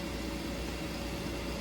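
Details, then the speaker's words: Munchkin Contender MC-50/MC-80 gas boiler just lit after yearly combustion chamber cleaning with CLR and burner part service: steady even burner roar, faint constant hum, no popping or rumbling; good spark, clean normal combustion. "There's your flame. Nice, good spark. Got combustion."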